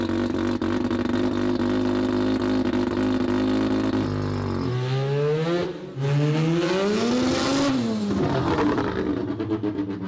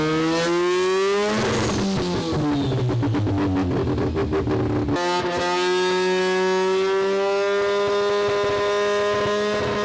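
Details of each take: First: Semi-peripheral-port two-rotor rotary Corvette, accelerating after quick adjustments and running a little rich. Steady drone, then a clean pitch rise and fall with throttle, no stumble or popping. Normal acceleration. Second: Semi-peripheral-port two-rotor rotary Corvette on a Haltech ECU, first startup, revving hard and not yet at full operating temperature. Climbs, then stutters and crackles in rough, choppy pulses. Misfire from crossed ignition coils.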